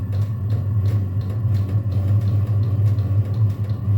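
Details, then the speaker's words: Chinese diesel heater, exhaust run out the door, running without a combustion air intake tube: heavy, steady low roar with slight pulsing flutter, loud because air is drawn through the open intake; loud combustion roar. "This is an air intake tube, so that's why you kind of hear the. This one's loud as shit."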